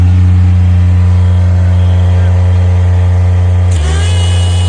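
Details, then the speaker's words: Miller Bobcat 200 Air Pak diesel welder/compressor after repairing rust-locked compressor and fixing insufficient intake airflow; strong even low diesel drone, steady firing, smooth pickup near end; normal diesel running. "It just wasn't pulling enough airflow, so now we got it working."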